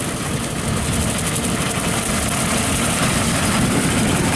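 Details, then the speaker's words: Diesel tractor at 1500 rpm pulling a Woods 15 ft brush hog, cutting golf course grass and making wide turns to protect the driveline. Steady, even diesel drone with the mower whirring underneath; described as real quiet. Normal running under load. "he's learning this machine's working real good it's real quiet"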